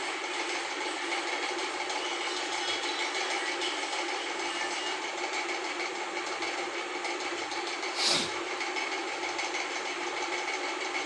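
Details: LG intello wash 6.0kg WF-T7066MN washing machine on spin after gearbox replacement for a grinding noise: steady, even spin hum with no grinding or scraping, normal spin cycle.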